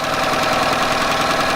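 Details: Yamaha 9.9hp outboard idling after replacing a cracked, dried-out carburetor diaphragm that caused heavy gas leaking; short, even, steady idle with no knock, stumble or misfire; running cleanly.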